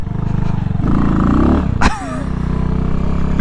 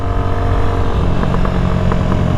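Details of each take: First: New Amazon-bought dirt bike on its first ride: engine pulls, then briefly flattens and stumbles before picking back up as revs rise; momentary bog on acceleration, cause unclear. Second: New Amazon-bought dirt bike on its first ride, cruising on the street without pegging it: steady single-cylinder drone with sharp pops and crackles as throttle eases; exhaust pop and crackle on deceleration.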